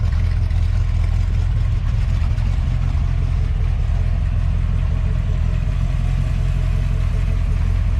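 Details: 1966 Chevy C10 with a newly built first-time exhaust system and new mufflers; a deep, even V8 rumble with a steady beat and no rattles, hisses or ticks, much quieter than before. Healthy exhaust.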